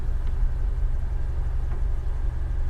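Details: A steady, deep rumble at idle with no knocks, misses or ticks from an old Dodge Ram 50 mini truck at an IAA salvage auction, just restarted; runs smoothly with no warning lights except the e-brake light.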